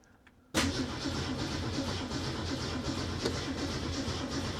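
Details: 1967 Ford Mustang with Holley Sniper 1100 EFI, cranking at about 10 V: steady starter cranking with even pulses that never catches or picks up speed; the engine won't fire, traced to a faulty fuel injector.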